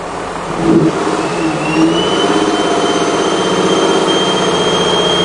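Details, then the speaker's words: 2002 Ford Escape engine revved: a thin, high whistle over a strained, labored engine; oxygen sensor data shows no catalytic converter activity, indicating restricted exhaust flow from a clogged catalytic converter. "you hear that whistling and maybe you can hear the labored engine so very clearly we've got a restricted flow across these oxygen sensors"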